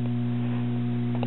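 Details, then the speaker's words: New-old-stock 1968 Packard Bell shelf stereo, powered up for the first time: a steady low mains hum with a strong buzzing overtone, fading as it warms up. Suspected bad filter capacitors. "and as you can tell it sounds like we have some bad filter capacitors now the hum's going away as it warms up a little bit"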